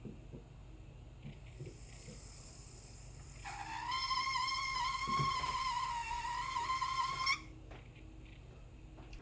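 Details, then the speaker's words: Lian Li Galahad II 360mm AIO CPU water cooler: a sharp, steady squeal near 1 kHz from one radiator fan rises over quiet fan hum for several seconds, then stops; replacement fan requested. "One of my fans on my all-in-one water cooling system, my Leon Lee all-in-one water cooling system, is making a horrible squeaking noise and it's very annoying."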